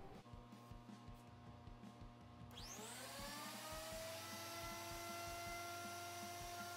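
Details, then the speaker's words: Thickness planer after repair with plates replaced and bolts Loctited, cutting a cutting board. Motor spools up to a steady whine with even cutting roar, no knocking or rattle; back in working order, normal cutting. "well it looks like the planer is back in working order so we're good to go there"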